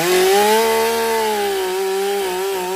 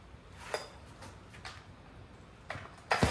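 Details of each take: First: Stihl MS 362 chainsaw, about 7 years of hard use, brought in hard to start and low on power, after servicing: starts well and runs excellent cutting very hard wood (maple or oak), strong steady high buzz sagging slightly and recovering as chain bites; normal running under load. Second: Stihl MS 362 chainsaw, about 7 years of hard use, brought in hard to start and low on power, tested unchanged outdoors in cold wet weather: about ten starter-cord pulls, engine never catches, gas smell; no start.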